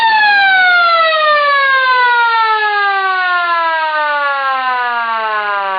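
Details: Sireno M1 siren first power test after repairing its non-working motor: clean rotor tone gliding steadily down in pitch as it coasts, smooth and even with no rubbing or grinding; motor running fine.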